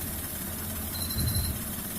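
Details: Alto K10 engine idling, from a clip on an engine sound problem and clutch adjustment: steady, even low hum with no knocks or rattles over a quiet background; normal idle.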